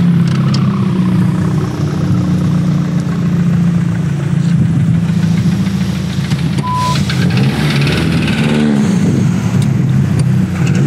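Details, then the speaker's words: Tuned engine, pistons now run at 30 bar mean pressure instead of the original 20; deep hard rumble with an uneven knock that swells with throttle. A camera inspection found a cracked piston with its liner almost completely broken, so the engine likely must come out. Piston slap. "Oui, le piston est fissuré. On y voit bien. Oh oui. Et là, regarde. Oui, je vois que la chemise est presque complètement cassée. Oui, c'est clairement le bruit que vous entendez maintenant."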